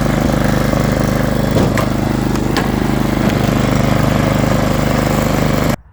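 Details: Snow blower gas engine after carburetor bowl removal and carb cleaner sprayed into the clogged carbon-blocked jet orifice: steady, even small-engine putter with no surging or misses, then cuts off cleanly; runs normally now.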